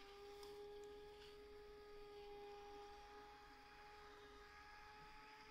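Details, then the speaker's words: ASUS P3B-F board's small cooling fan after fresh oil: quiet steady hum, even tone, no ticking or grinding; runs much smoother, though fan may still need replacing; normal fan running. "sounds a lot better doesn't it"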